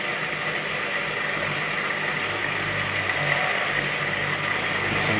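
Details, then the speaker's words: Indesit washing machine with fault code F05, after drain repair, on spin with drain pipe pulled out the back: even steady pump hum with constant high whine, no knocking or grinding; drain pump running normally. "Yeah, so the water's going down the pipe, I can hear it. You actually suck in air, can't you?"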